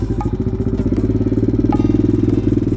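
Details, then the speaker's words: Home-built mini supermoto on its first test ride, with electric start plus a backup kickstart, fires right up and settles into a quick, even single-cylinder thump at steady idle, clean with no misses or knocks; normal idle. "Sounds good. Fires right up. Got the kickstart just in case."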